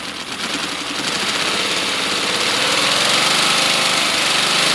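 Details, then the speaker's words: Miniature inline-6 air-powered engine, pressure turned up to max, air leaking; quick, even chuffing with airy hiss picking up pace and volume: running normally. "Sounds good, bro."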